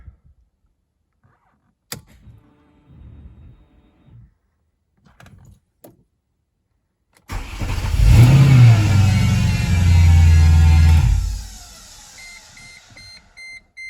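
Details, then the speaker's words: Mercedes C55 AMG with the M113 V8, first test start after a 6-speed manual swap. The engine fires and runs briefly, then a steady high whine lingers after shutoff, identified as the secondary air pump: normal secondary air pump whine. "Does it always make that noise when you turn it off? The whining? Yeah. Yeah. That's the secondary air pump."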